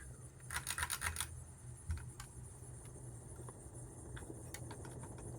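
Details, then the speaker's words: Ticking and light rattling over a low fan hum from a 42in Windsor and Browne Cambridge Collection ceiling fan on a low ceiling; owner got it to quit ticking, suspects the shades and may need to tighten them. "makes a little noise but you know it's a Heritage so what do you expect wonder what that is though I got it to quit ticking maybe it's the shades whatever you can't hear it from the chair now"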